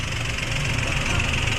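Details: Toyota Wigo at idle after an original connecting rod was fitted for a knocking engine: steady, even idle with a smooth hum and no knocking. The knock is gone and there is no smoke.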